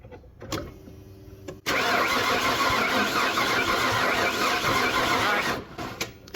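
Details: Ford 351 Windsor V8 after new camshaft and pushrod install (broken unhardened pushrod): starter spins engine at even, fast cranking rhythm about four seconds with no catch; distributor rotor set off cylinder one, spark present.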